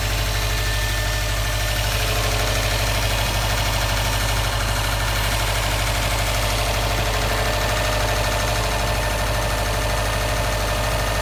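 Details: 2015 Subaru STI, fine until started today after a 2-3 mile drive home, with a previous check engine light; loud idle with a steady, rapid knock; cause unknown; engine knock at idle.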